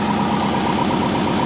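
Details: Built turbo Subaru Forester after replacing leaking oil fitting and refilling oil: steady, even idle with a smooth low pulse and no knocks, ticks or whine; engine sounds healthy.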